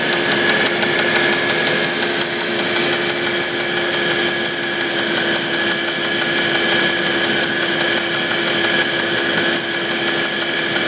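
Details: Audi A8 D3 engine with sharp metallic knocking about three per second at idle, steady rate; connecting rod knock, with the connecting rod named as the cause.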